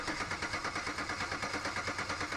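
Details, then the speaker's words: 2006 Buick Rendezvous, engine cranks but won't start; starting fluid didn't help, RPM signal present. Test light on coil shows no spark while cranking, fast even starter whirr with no firing; next step checking coil power. "as you can see there's no spark so now I'm gonna check power to the coil"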